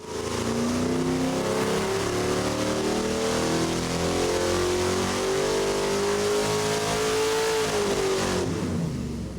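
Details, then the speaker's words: Small block Ford V8 on dyno, 30° timing, 93 octane, single plane intake, 950 CFM carb: strong even roar climbing in pitch through a wide-open pull, no misses or knocks; smooth, about 400 hp. "That's nice and smooth. Good torque. Good everything."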